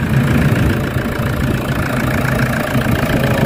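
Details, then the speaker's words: Toyota Fortuner diesel after fixing a crank-no-start fuel system issue: steady, even idle clatter with no misses, knocks or hunting; a little air still in the fuel system, expected to clear as it runs. "medyo may hangin pa rin konti pero natatagalang andar andar mawawala na"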